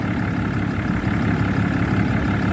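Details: 2012 Ram 3500 6.7 Cummins diesel at idle after replacing a water pump with a loose, rough pulley and a broken belt: steady low rumble, even beat, no squeal or tick, settled idle, no leaks, running cool.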